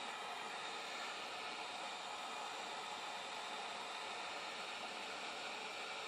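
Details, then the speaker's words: Solar PV water heater, 1280 W panels at 120 V DC open circuit, 104 V at 8.24 A under load, 4500 W 240 V element: steady harsh hiss and sizzle as thermostat contacts arc blue and fail to break the DC current. "So you can hear it's arcing, and see the blue arc in there, but it's not shutting off. It's just unable to shut off."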